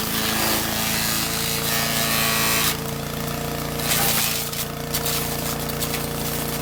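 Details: Troy-Bilt chipper shredder model 24A-414B711, repaired with a new carburetor fuel line fitting and fresh oil, fed hard dried sumac branches; steady engine drone with rough rhythmic crunching and no knocks or stalling. Normal shredding under load.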